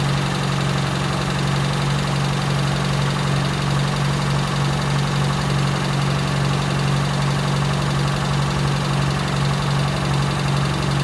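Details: Toyota Tercel, freshly reinstalled 3A-C engine, idling cold with no coolant hooked up while ignition timing is set. Steady low drone with a faint even pulse, a little unsettled. Rough cold idle.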